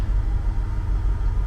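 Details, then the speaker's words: International 1210 truck V8 with a Holley 2300 Super Sniper EFI, just started within one revolution: idle air control brings it gently down to the set idle of about 700 rpm, coolant 134°F. Deep, even rumble with no misses or knocks. Healthy idle. "you can see kind of gently bringing it down to idle which I have set at about 700 RPM"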